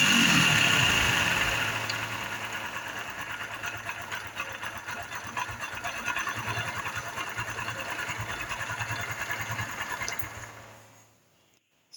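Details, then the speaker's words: Honda Biz 110i before repair, hard to start cold and holding idle only when hot, injection light on with no fault code: loud, steady mechanical rattle at idle, like a knocking connecting rod, also present while riding. "Que ela tá com um barulho muito forte no motor aí, ó. Barulho muito perigoso, galera."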